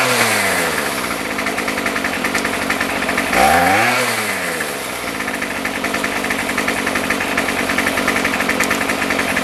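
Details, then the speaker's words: Remington pole saw two-stroke after a carburetor rebuild and fuel line replacement, running without the saw head, so no load. Steady high buzz with one quick rev, then an even run; it sounds healthy, possibly slightly rich. "it's hard to adjust the carburetor because there's no load on it I think it might be just a little bit on the rich side"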